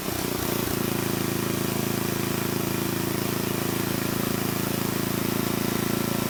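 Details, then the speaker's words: Old Troy-Bilt Horse I tiller, single-cylinder, after valve cleaning, a new plug and carburetor adjustment: steady chug with a few sharp pops in the first second, then evening out as it warms. It still pops and backfires but now idles, which the carburetor improved. "It's still popping and backfiring, but it is idling, so the carburetor did make an improvement."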